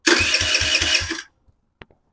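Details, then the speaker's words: 2007 Kawasaki KFX50 four-stroke 50cc quad, after replacing a blown 7 amp fuse, starter cranks about five even beats in just over a second then stops; engine turns over properly, spark not yet checked. "after we replaced this 7 amp fuse now she turns"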